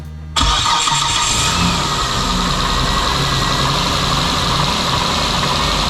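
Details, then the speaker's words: 2008 Mitsubishi Eclipse that starts then stalls immediately. The starter whirrs, then the engine catches and runs rough and uneven only while fuel is sprayed into the intake manifold. This confirms a fuel supply problem; the fuel pump is to be checked next. "so we got it to run a long time or or longer time spraying fuel into the intake manifold so that confirms that we are dealing with a fuel issue because it ran on my fuel"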